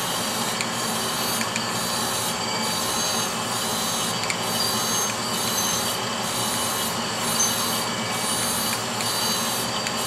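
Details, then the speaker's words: Brown & Sharpe Micromaster 510 surface grinder with Walker permanent magnetic chuck, grinding steel: steady wheel hiss with an even pass rhythm about every second, no growl or rumble; spindle bearings running normally. "so i'm gonna go ahead and do a quick grind with this show you the finish of the part and you can hear the spindle bearings so"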